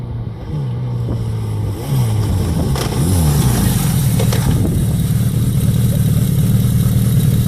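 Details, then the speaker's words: Motorcycle speedometer drive: low uneven growl, squeal or grind under the engine note, first heard on the open road and more pronounced as the bike slows after backing off; speedometer drive growl. "Speedo growl, squeal, grind. It's a horrible noise when you hear it, and it's unmistakable. Because the first thing you'll hear it probably out on the open road."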